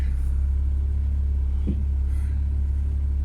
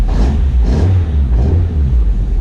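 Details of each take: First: Ford Focus ST170 track car at idle with a reconditioned steering rack fitted: one dull clunk as the wheel is turned from centre. The reconditioned steering rack clunks and had to come back off. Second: Ford Focus ST170 track car after the steering rack was fixed and refitted; fluid seems low and there seems to be some air in the pipe. The engine rises and falls with revs, and the power steering pump is not howling as it usually does after running dry. It sounds normal.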